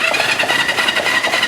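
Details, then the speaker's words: 1974 Honda CL450 motorcycle first start attempt after sitting 25 years since 1999, spark confirmed, weak battery needing charge: quick, even chugging with steady starter whine; electric starter cranking normally. "start a button Works although I'm going to need to charge my battery but that's good saves from kicking so not only does the starter work"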